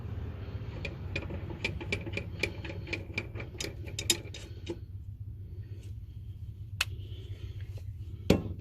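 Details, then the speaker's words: Poulan 38-inch riding mower, warmed up, running and mowing: low engine drone with light, fairly even ticks from under the deck; owner suspects a dead idler bearing and plans to replace them. Ticking noise from under the deck. "it starts runs mows um you can hear that there's an idler bearing or something underneath that's dead"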